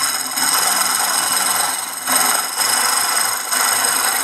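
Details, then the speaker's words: Manual round-blade fabric cutting machine running: constant harsh high scraping hiss swelling every second or so; sharpener stays pressed against the blade constantly, causing the noise, which worsens as the machine ages; fix is regulating the sharpener. "então essa peça aqui tem que estar direto aqui ele fica encostado por isso que dá esse barulho estranho que às vezes perturba"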